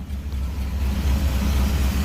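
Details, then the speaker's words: Chevy K5 Blazer, carbureted V8, fresh from the shop, after a cold start with idle knocked down as it warms: steady deep even rumble, no knocks; owner also hears a slight whistle, suspects a vacuum leak. "Let me knock it down a little bit. Look at that. Now that's idle."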